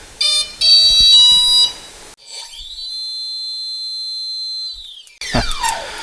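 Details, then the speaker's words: New Leopard brushless motor for Skylark S, no-load kV test: clean high whine climbs, holds, drops away, no grumble; bearings sound much better than the stock motor's. "You can already tell the difference in quality, can't you? Just listen to it. The bearings sound much better. It doesn't have that grumble sound, you know."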